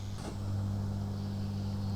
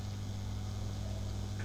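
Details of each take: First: Paillard 3601 Swiss valve radio, warmed up, microphone near speaker: loud steady low hum with higher buzz on top from failing power-supply filter capacitors; after replacement the hum dropped to a normal level. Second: Grundig Trento radiogram, warmed up and back in its cabinet, microphone near the speaker after a hum repair (replaced capacitors); only a faint steady low hum remains, inaudible from half a metre, normal mains hum.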